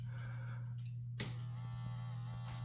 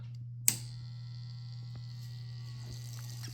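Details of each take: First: Robot vacuum base-station 5V water pump powered from bench supply: switch click then steady low buzz, pump running dry with air in line, drawing no water; fixed by priming the hose with water. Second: Dreame L10s Pro Ultra Heat robot vacuum 5V water pump, after priming its tube with water: click at switch-on then steady low hum with faint whine, sound changes as water flows into tank; normal pump running.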